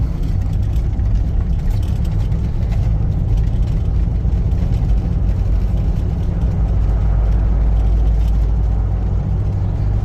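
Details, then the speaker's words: 1990 Jeep Grand Wagoneer, carbureted, after fuel pump replacement fixed intermittent stalling and bucking: deep, even engine drone building smoothly while accelerating uphill, no stumbles, surging or cutting out. "I get up the hill no problems going up the hill either let's try it when we get over here no problems whatsoever"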